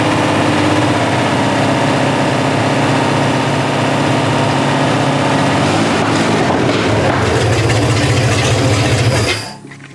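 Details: 1960 GMC V12, points ignition, idling after the miss was fixed by tightening a loose spark plug: smooth, even idle with a steady low rumble and no dropped beats for nine seconds before shutoff.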